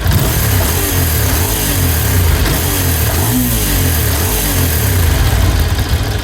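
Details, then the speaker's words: Ducati 750 SS Supersport L-twin, 29,765 miles: loping uneven beat with dry clutch rattle on top, picks up cleanly on throttle blip; normal for this bike. "Hopefully you can hear just how nice that sounds. Obviously it's rattling, it's Ducati. That's what they do. But it's rattling in the right way."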